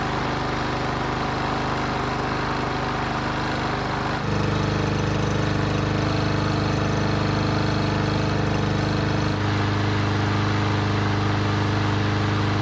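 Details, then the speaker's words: Yard Machines mower that wouldn't start due to bad fuel, after repair: single-cylinder engine starts right up and settles into steady even drone that picks up slightly; running well, normal. "So it started right up, and it sounded pretty good too."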